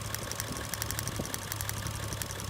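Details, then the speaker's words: 1JZ-swapped FC RX7 running, coil and plug wire spark test for limping, ground held well away: sharp snapping ticks about seven a second over steady idle; healthy coil still arcing strongly, unlike a weak one. "So this is what a coil is supposed to look like. See how the ground is way outside and it's still arcing?"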